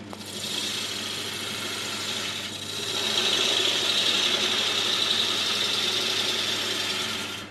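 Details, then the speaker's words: Woodturning a 7 x 3 inch blank for a Saturn bowl: harsh rasping hiss with rough choppy rhythm as a dull gouge nibbles down to reference marks, causing heavy tear-out; a sharper tool then cut cleaner. "So I'm just nibbling away, getting down to my reference marks, which are still here. And again, you can see there's an awful lot of chip out there."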